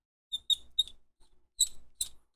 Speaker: God that is so squeaky I want to put some like anti C's on it